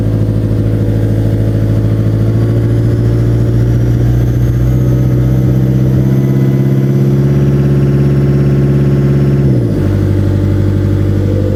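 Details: Cat 277B with 3044C-T diesel held at mid throttle runs uneven and lumpy, missing about three times a second; puffs and smokes mid range but fine at idle and full throttle, untested under load; owner suspects injectors, hopes not pump.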